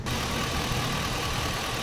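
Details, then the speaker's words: 2003 Chevy Suburban 5.3 V8, hot 92° day, codes P0200/P0303, after repairing one injector harness wire: uneven, lumpy idle, one cylinder seemingly missing; still rough misfire, owner suspects another broken injector wire at connector. "yeah still seems rough I wonder if it's that other wire now that I told you it felt funny"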